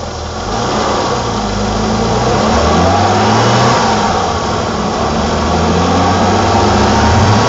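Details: 1987 BMW E28 520i, M20 2.0-litre inline-six (129 PS), nearly 400,000 km, now running excellently; recorded on a phone with good low-frequency microphone; smooth, even idle with steady low beat, no ticks or misses; normal idle.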